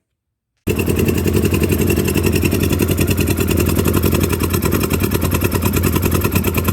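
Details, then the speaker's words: 2009 Polaris Sportsman 800 ATV, sat about six months, fuel pump had failed, throttle applied: uneven, stumbling beat with ragged pulses and smoke; rough running, fuel injection needs cleaning, more than the pump at fault. "so yeah that's about how she's running folks so uh yeah i'm gonna have to gonna have to do a little more than just uh replace the fuel pump"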